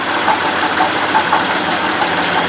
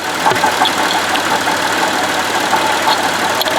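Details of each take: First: Buick Lucerne at idle, stethoscope-style listening at alternator and idler pulley: steady, even whir with no grinding, squeal or rumble; alternator and idler sound normal, noise traced instead to water pump bearing with play. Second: Buick Lucerne at idle, heard at front pulleys; steady gritty whirr from the water pump, which has play in its bearing, while the alternator and idler pulley sound normal; worn water pump bearing.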